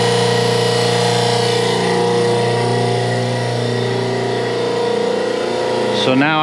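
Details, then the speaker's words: Dennison Multipress hydraulic press pump motor first run: steady electric hum with even pump whir, no grinding or chatter; motor sounds healthy. "whoa, donc ça a fait fonctionner la [Musique] du moteur, ça sonne plutôt bien [Rires]"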